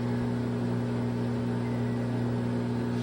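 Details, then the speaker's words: LG front-load washer in diagnostic mode after hot and cold water valve replacement for IE (low water) code: second test stage, drum tumbling with a steady low motor hum, no scraping or knocking; normal tumble. "it's tumbling right now number two"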